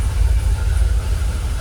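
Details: Jaguar XKR idling about 800 rpm, fuel pressure holding 45 psi: deep, even low rumble with no misses, knocks or hunting; engine calmed down, much smoother, no longer rocking; normal idle.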